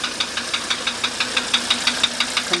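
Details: 1985 Mercedes 300D diesel idling: a sharp metallic knock about six times a second, evenly spaced over a quiet idle. Cause unknown.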